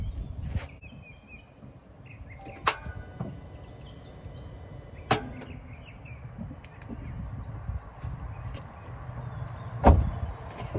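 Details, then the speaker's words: 2016 Dodge Challenger R/T, phone placed against the tire. A few sharp single clicks come seconds apart with no cranking: the starter is clicking and was then replaced. "what you guys heard there was a starter clicking this is going to be how to change that"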